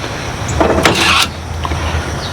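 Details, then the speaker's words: Toro riding mower with electric parking brake that needs battery power to release: with the key on, a short whirring motor run of about half a second over a low hum; parking brake releasing normally. "That's the parking brake. You got to have battery power to let the parking brake go."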